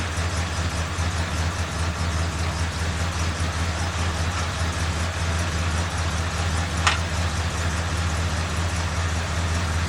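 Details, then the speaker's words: 1969 Oldsmobile Vista Cruiser idling with the radiator cap off, bypass hose fitted and cold water, waiting for the thermostat to open: smooth, steady low idle with even pulses and no knock or miss, healthy. "and this thing seems to run very cool at an idle, so it might not ever get warm enough to open the thermostat just sitting here with the bypass hose and cold water."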